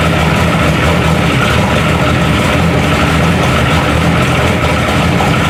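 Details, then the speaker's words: Turbo Oldsmobile DX small-block V8 freshly installed: a loud, rough, lumpy idle with a hard mechanical rattle over the exhaust rumble. Every piston has splits and is loose, so this is piston slap. "I mean, still sounds, but like I was telling you, man, every piston in this thing's got 10,000 splits. Yeah. I mean, it's loose as a goose."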